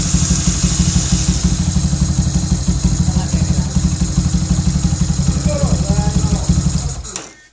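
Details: Honda CB fuel-injected single with new 200cc CBR-type IMB racing injector, ahead of ECU remap: firm, regular thump for several seconds before switch-off, no stumbling; starts and idles properly, normal running.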